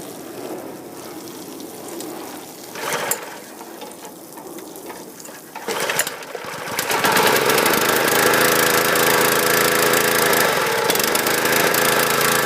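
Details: Husqvarna PW3200 pressure washer, Briggs & Stratton CR950 208cc single, flood-submerged in Hurricane Ian, fresh fuel, started without choke: catches after rattles, fast slightly uneven chatter; running a little rough.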